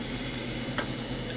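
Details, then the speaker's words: 2007 FSP 300W PSU, likely from an Acer system: thin steady cicada-like buzz over fan hiss from the 12-volt rail; owner suspects bad caps or the main switchers. Cause unconfirmed. "hear it pretty good so this is the 12-volt rail it is definitely not happy it would still run a pc like this but the pc don't think he'll really much like it"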